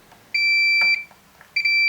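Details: Samsung PN51D plasma TV, no power with relay clicking; continuity test on a Y main board diode gives two sharp half-second beeps, a dead short, so the Y main board needs replacing.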